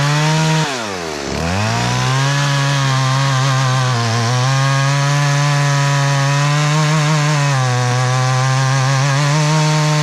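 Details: Stihl MS170 chainsaw with a 14-inch bar and a freshly filed chain on a steep hillside: high buzzing note sags sharply for about a second as the saw is tipped, nearly dies, then recovers, a recurring stall the owner says is not the fuel filter.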